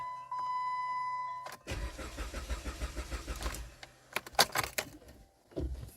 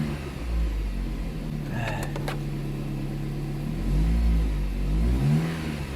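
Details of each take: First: 2010 Jeep Compass with a no-start; fuel pump heard and fuel system lean code reported: a chime, then the starter cranks steadily for about 1.5 seconds without firing. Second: 2010 Jeep Compass after repairing a no-start caused by a corroded ASD relay box: the engine catches and holds a steady low hum, revs up cleanly twice and settles back with no miss or knock; still needs new spark plugs.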